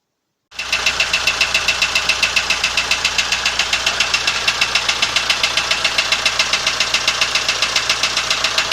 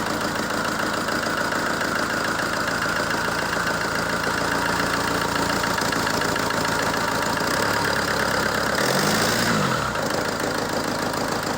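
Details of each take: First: ZMZ-514 Euro 2 turbo diesel before repair, electronics disconnected: hard, even metallic knock about four beats a second over loud idle; others blamed connecting rods/pins, owner says real cause was otherwise, not confirmed here. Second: ZMZ-514 Euro 2 turbo diesel after repair (head refitted, bolts torqued to spec), previously knocking: even settled idle with steady beat, no knock; bottom end sounds healthy.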